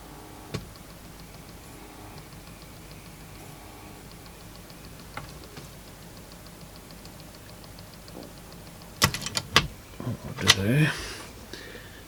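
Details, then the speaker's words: Sony TC-W290 cassette deck, mid-1990s plastic mechanism, unused for a while: faint light ticking about three times a second from the mechanism, then handling clatter; a split plastic gear with teeth spread wider apart is clicking. "so it's likely that a couple of those teeth here they definitely look like they're a bit wider apart so i think that's why that's making that noise"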